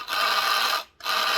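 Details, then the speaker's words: Hornby Class 142 Pacer model railcar, motor bogie running: harsh high-pitched gritty whir with thin whine in two short runs, unlike the identical second car; worn worm gear. "yeah that just doesn't sound right when you compare it to the other car that's what it should sound you know that's not right"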